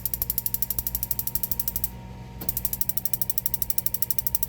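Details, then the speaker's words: Furrion RV gas cooktop/oven in DRV Mobile Suites, no gas fault traced to lid magnet sensor held with failed hot glue; oven igniter: rapid steady ticking about a dozen clicks per second, no flame catching; sparks but burner won't light. "and sometimes you got to let it run for a little bit for the gas to flow and for this thing to spark you see the spark happening maybe not"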